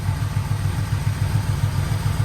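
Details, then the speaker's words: 1985 Yamaha Vmax V4 after rebuilt carburettors, new plug leads, coils, V-boost manifolds, carb boots, repaired tank, new fuel filter and plugs, first start, air filter off: deep regular burble around 850 rpm, even pulses, no misfire; idles cleanly. "give it a little rib and see what happened [Music] well it's just running beautiful in that"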